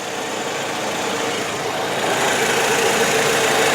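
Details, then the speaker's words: 2005 Pontiac Sunfire 2-door, GM 2.2 L four-cylinder, idling: smooth even hum with steady beat, no knocks or ticks; good running and sounding engine, normal idle. "this is the 2.2 L 4 cylinder get you great gas mileage but yet it's got plenty of spunk just a really really good running decent looking or decent running and sounding car"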